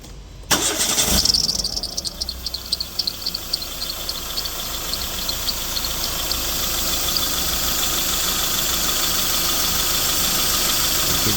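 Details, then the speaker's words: 2014 Renault Sandero Stepway 1.6 8-valve, engine just cold-started: sharp high squeal over idle settling into steady screech; accessory belt runs misaligned toward the edge of the belt tensioner, which is out of angle, so the belt sings. "então essa parte aqui ó onde não tá marcado ele não tá correndo a correia e é por isso que ele faz o barulho vê ó ó e aí ele começa a cantar a correia"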